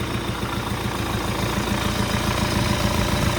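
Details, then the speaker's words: An MTZ-82 tractor diesel with a newly fitted TKR-6 turbo, first start, with the air intake still to be fitted and the exhaust to be rewelded. It idles evenly, knocking about 3.5 times a second, with a faint high turbo whistle: normal. "Ну, свистить конечно прикольно з турбінкою і робе зовсім по-іншому."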